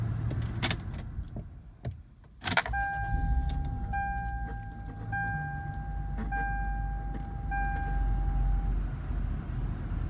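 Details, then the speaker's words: 2000 Lexus GS300: intermittent mooing groan from right behind the dash, steady mid-pitched moan over running hum for seconds then fading; usually with AC fan running high, sounds like cogs, longstanding, cause unknown. "Sometimes she does it for longer. Don't know what's going on. Usually happens with AC fan running pretty high, so. Like you hear like cogs or something. It's like right behind the dash, so please help."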